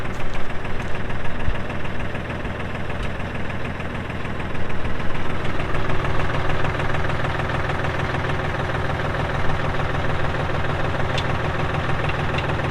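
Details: 2018 Massey Ferguson 2605H 4WD tractor, 310 hours, with front loader and 8-speed mechanical shuttle, started up for an operational run; steady, even diesel clatter at idle with a low constant rumble, no misses or knocks, healthy engine.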